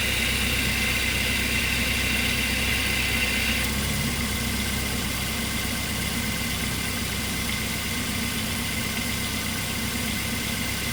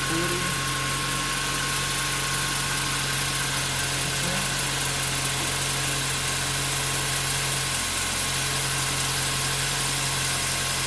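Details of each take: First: 2008 Mazda 3, nearly 200,000 km, idling with AC on after new serpentine and AC belts: steady idle with light belt whir, tone shifting partway as the AC clutch drops out; normal cycling per mechanic friend. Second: 2008 Mazda 3 manual, nearly 200,000 km, idling: constant high squeal from the front of the engine that holds its pitch, from the worn serpentine and AC belts, which the owner then replaces; worn drive belt noise.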